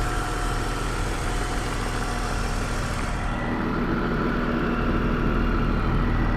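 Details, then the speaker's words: BMW M54B30 straight-six, a swap candidate for an E21 track car, with breather to catch can and part of the air filter housing missing: low, even idle hum with no misses, knocks or ticks; runs smoothly, slight delay in revs after pressing the accelerator. "But that is running beautifully smooth."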